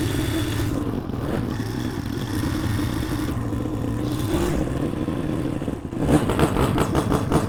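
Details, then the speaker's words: 2003 Honda CRF150 after replacing the plugged pilot jet and cleaning the carb, choke off, warmed up after a short ride: steady even single idle with a quick blip, no misses or surging; running right. "After we took it down the road here for a second, you can hear it, it's just idling perfect. This seems to be working great."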